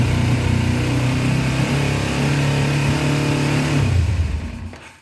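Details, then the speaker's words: Cold 2000 Kawasaki Ninja 250 twin, running on choke: held at high revs with a rough uneven beat, then sags and dies within a second; won't idle, runs only when revved. Cause suspected, not confirmed. "All right, guys, I don't like revving a cold motor like that, but right now I'm just running with the choke."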